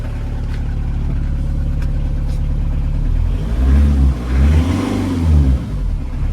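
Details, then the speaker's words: VW Caddy pickup 1.9 diesel, jump-started on a weak battery: steady idle rises smoothly through a few quick blips and settles back, no knocks or rattles, no smoke; healthy engine. "Yep, it sounds like a diesel. No smoke. Rust, but no smoke."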